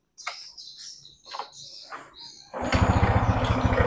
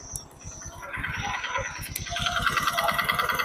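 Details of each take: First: Honda Supra X 125 after a front engine teardown and rebuild to cure a harsh engine noise, exterior body not yet fitted: after a few chirps it settles into a steady, even idle with no rough knocking, now smooth. Normal idle. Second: Honda Supra X 125 single-cylinder, kick-started, at idle then slight throttle; fast, even, harsh rattling knock that worsens as revs rise; mechanic suspects bearing, connecting rod or piston; piston slap.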